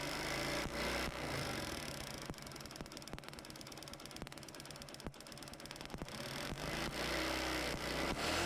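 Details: Kick-start motorcycle fitted with homemade CDI unit (BT151 SCR, 1N4007 diodes, 100 ohm resistor, 1uF 400V capacitor) replacing the original: small single thumping at steady, slightly uneven idle about four beats a second; ignition firing fine.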